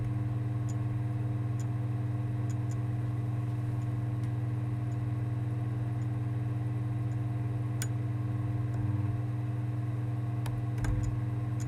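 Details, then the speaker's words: Sony PSX DESR-7000 with Matrix Infinity v1.93 modchip, loading a PAL PS2 DVD: steady low hum with sparse, irregular laser clicks and ticks; the disc never spins up because the laser is struggling to focus and detect it. "doesn't sound good the clicking on the ticking is not what it should be doing at this point it should have detected the disk by now and started to spin it up you can't hear it spin it's struggling trying to focus on the disc"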